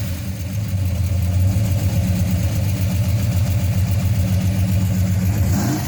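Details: 1968 Dodge Hemi Charger V8: deep, lumpy rumble runs even and strong at a fast idle with no knocks or misses; healthy.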